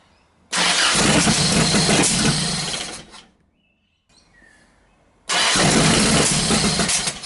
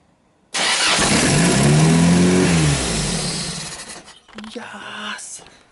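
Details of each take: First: Toyota Hilux drift build on first start with fuel and spark, distributor just plugged in: two rough cranking bursts catch and die with ragged popping, backfiring back through the carburettor. Owner suspects ignition timing needs setting; it seems close to running. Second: Hilux drift build engine with carburettor and distributor; earlier backfired out the carby (probably needs timing) but now starts first try and revs up and down cleanly with no knocks; runs perfectly.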